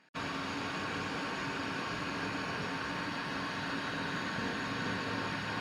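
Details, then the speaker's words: Amiga fitted with PiStorm32, USB 40mm x 10mm cooling fan laid in the case blowing mostly under the Pi's hot chips: even airy whoosh with faint steady hum, no ticking or rattle; breeze felt leaving the case, fan running fine. "So I don't know if you can hear that or not, but yeah, it makes noise. The other weird thing is I can feel a breeze sort of coming out of, yeah, which is good, right?"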